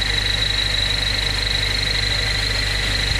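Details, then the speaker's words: Honda Civic with K24 swap using old high-mileage K21 crank pulley, at idle: steady high-pitched whine over even low engine hum; crank pulley harmonic balancer rubber torn and separating from metal, damaging timing cover. "Yep, it's the crank. I could see it torn. The rubber is literally torn, guys."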